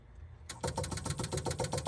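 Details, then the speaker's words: 1966 Jaguar E-Type OTS roadster, electric fuel pump pumping fresh gas through the system before the first start attempt in over half a century: fast, even ticking about eight clicks a second with no leaks; normal electric fuel pump ticking. "okay we're just pumping clean gas through and so that's why this is just ticking and not stopping"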